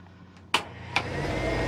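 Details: 2022 Rockwood 2899KS fifth-wheel RV dryer, all-stainless drum, switched on: a couple of switch clicks, then a soft, steady drum hum with no rubbing or knocking; runs normally and quietly.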